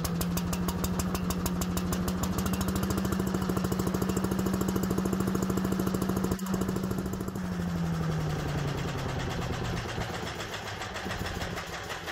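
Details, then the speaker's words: Little Wonder walk-behind blower after service (spark plug checked, valve clearances adjusted, valve cover gasket): steady, even small-engine roar with clean constant firing, easing slightly at the end; runs smoothly. "With the engine primed and ready, we embark on a test run, ensuring seamless operation and optimal performance."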